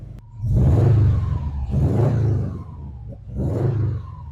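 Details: Subaru (WUBARU) just after AEM 340 fuel pump install, primed then started: three clean rev blips, deep roar swelling and falling smoothly, no misses, knocks or stumbles; normal running.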